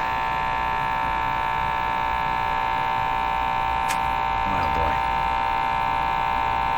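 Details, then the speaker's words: 1935 Rogers 7R622 tube radio: steady loud low buzz with strong overtones; powerful mains hum, not from power supply, returns when tubes other than output tube are fitted, suspected tube source being tracked down. "i pulled all the tubes out left the uh output tube in and the set did not hum put the tubes back in the hum comes back"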